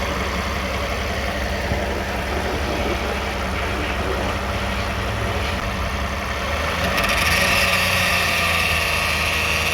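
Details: 2009 Toyota Sienna at idle, recorded underneath after flex plate bolts and teeth checked fine: constant buzz from transmission area persists; torque converter or transmission pump suspected, cause still unknown; buzzing noise.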